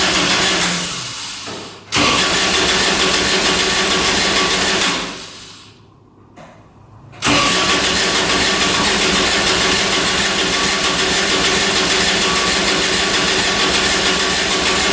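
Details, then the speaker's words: Kubota RTV900 diesel UTV (2007 or 2009), after a head gasket repair for white smoke, 12 volts present: long bursts of fast, steady cranking, about three turns a second, never catching. Owner suspects it's not getting fuel. Crank, no start. "All right, she doesn't want to go. We must not be getting fuel."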